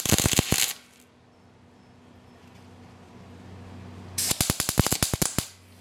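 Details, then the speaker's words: MIG welder on low voltage setting, wire speed around seven, spot welds: short bursts of sharp irregular crackling pops between gaps, unstable spitting arc; beginner suspects wire speed too low, unconfirmed. "there's a little poppy which you know I'm not sure if that's the wire speech to Lao or what's going on there but sometimes I get that popping that happens it's like it's having a hard time establishing a hot weld or something"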